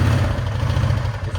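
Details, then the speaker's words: Honda Rubicon ATV engine, very cold and reluctant to idle, also showing an engine rattle and intermittent transmission lock-up: uneven, lumpy low chuffing with wandering beat and some clatter; rough cold idle. "it's really cold right now so it's not going to idle"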